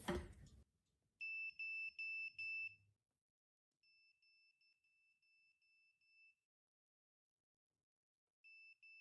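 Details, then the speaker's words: Non-contact voltage function of a budget multimeter held near a plugged-in live cord: high-pitched beeps in short, even, repeating groups, showing the detector correctly sensing a live conductor. "You get a lot of chatter with this meter, meaning every time you do something, it beeps. Turn it on, beeps. You have the non-contact voltage function."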